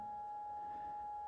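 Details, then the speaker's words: Babysense video baby monitor (4.3-inch split screen, 2 cameras), parent unit just unplugged from its charging cable: steady thin whistle just under 1 kHz holding pitch, an annoying electronic tone heard when unplugged. "c'est le bruit et je trouve que c'est plutôt dérangeant."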